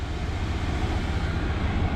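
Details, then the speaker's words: Truck camper diesel heater, reinstalled and first run after a long while unused: voltage dipped to 10.4 V, then the glow plug shut off and the burner fan revved up to a smooth, even roar producing warm air. Normal heater startup. "glow plug shut off so it's part of the glow plug all right so you can hear it now she's revving"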